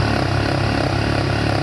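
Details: 2017 Yamaha Factor 150 motorcycle engine idling with steady even low putter, no knocking or grinding; previously had burnt stator and broken bearing causing turbine-like noise.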